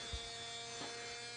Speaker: But as we get closer to the source, the lights go up and get brighter and the whine gets louder.